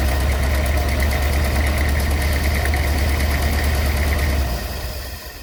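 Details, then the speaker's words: Rolls-Royce Silver Shadow II V8, revived after years in a field: uneven shaky thrum of about three beats a second that sags and dies. It won't idle; dirty carburettors with a sticking needle are blamed. "Okay. So, still no idling. So, there's still the problem."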